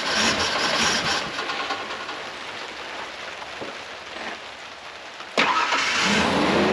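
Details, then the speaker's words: 1996 Ford Ranger 3.0L V6 after plugs reinstalled, timing checked correct, spark and compression confirmed: rough idle with stumble about three times a second, misfire persists; owner suspects bad injector or timing, unconfirmed; huge vacuum leak later found. "Alright, so it still has a misfire at idle. I'm pretty sure it's not a spark or a cylinder issue."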